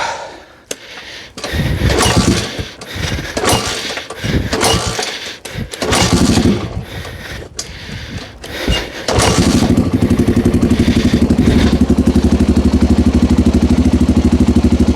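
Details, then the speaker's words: 1987 Honda 250X ATV single-cylinder, cold after sitting, restarted without choke after cam and rocker arms reinstalled and valves adjusted: a few sputtering cranks, then catches and runs steady and even with no misses; sounds as it should. "But there you go. That's the way she's supposed to sound."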